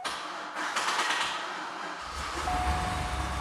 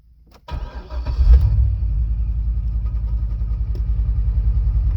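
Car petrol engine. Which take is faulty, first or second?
second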